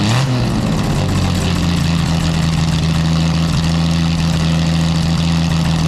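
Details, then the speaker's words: Jaguar D-Type with a newly made exhaust with built-in silencers, compared against the exhaust without them. A deep, loud engine note holds steady after a quick blip, still very loud but smoother, with the crackle gone. "it's still very loud it just takes that cracking sound out of the engine making it a little bit smoother"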